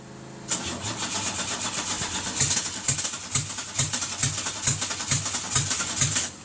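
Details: 1989 Buick Century with new fuel lines and new in-tank fuel pump: starter cranks steadily about two compressions a second but the engine never catches or fires; crank no start.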